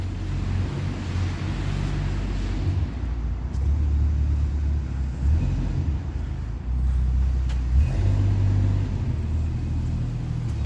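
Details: 1982 Ford Granada coupe, exhaust pipe disconnected under the car: loud, deep, ragged rumble with uneven pulses like a straight pipe, large exhaust leak from rotted flange.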